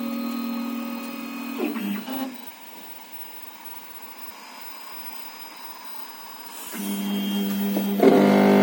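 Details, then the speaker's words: MakerBot 3D printer after it finishes heating and starts moving. Loud, steady low buzzing hum with ringing overtones that comes and goes with motion; abnormal loud noise, source unclear. "它加热完了就发出可怕的声音，你要有心理准备。"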